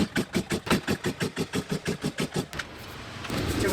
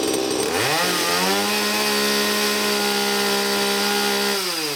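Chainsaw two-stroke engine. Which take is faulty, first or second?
first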